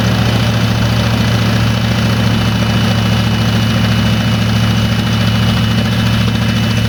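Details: 1986 Ford F250 just started after new starter and filling the carburetor bowls, in neutral: smooth, even low rumble at steady idle with no misses, knocks or squeals; runs fine.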